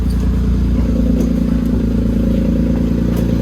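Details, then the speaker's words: 2008 Smart ForTwo, first run on a new engine, smoke now easing as debris burns off, cooling system being bled: steady, even low idle rumble with no ticking, knocking or misses; idling smoothly and healthy. "there we go not smoking as much anymore"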